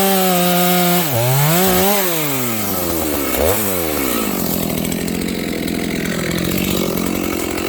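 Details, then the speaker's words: Stock Dolmar 7300 chainsaw, high jet fully open to the limiters, cutting wood: revs up and drops in pitch as it bites, screaming smooth with little four-stroking; seems a little lean and got quite warm in a few cuts. "I will have to take the limiters out of the carb though. This thing is a little lean there. This saw actually got quite warm in those few cuts, so make sure your saw is 4-stroking."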